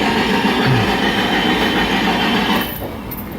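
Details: Ford no-spark case: steady starter cranking whir with uneven cycling, never catching; tachometer shows no bounce during cranking, pointing toward the crank sensor, suspected not confirmed. Crank-but-no-start.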